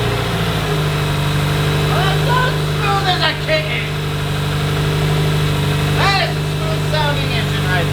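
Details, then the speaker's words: 2007 Subaru STI boxer on fresh IAG Stage 4 block build with half-inch head studs, first start, burping coolant air, slight condensation smoke: steady, even idle with low uneven burble, no knocks or ticks; normal idle. "Yeah, this thing's running like a fucking kitten right now."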